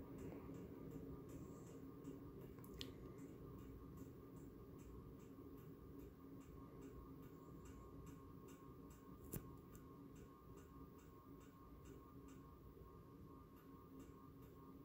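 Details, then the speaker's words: 52-inch SMC Impressions ceiling fan with Saturn copy light kit, running on medium and wobbling: faint steady ticks two or three a second over a soft hum; owner suspects a pull chain, source unknown. "still hear that ticking noise here's a hello"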